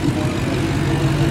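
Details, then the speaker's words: 2018 Maserati GranTurismo, flood car with replacement 4.7-liter V8 after the original blew up, first start: deep even rumble at idle with no knocks, misses or surging; running smooth. "okay how's it going it's pretty good pretty smooth"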